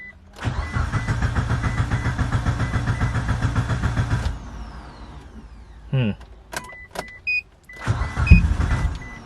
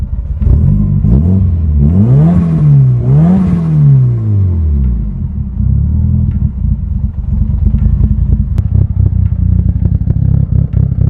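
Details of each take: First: Mitsubishi Evo 8 after new fuel pump housing install: rapid, even cranking that never catches while the pump primes, then clicks and buzzes; little fuel reaching the line, so the pump was pulled for inspection. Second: Mitsubishi Evo 8 after new fuel pump housing, electrical drain and cleaned spark plugs: engine blips up and down cleanly with no misses or knocks; problem seems fixed, cause unclear.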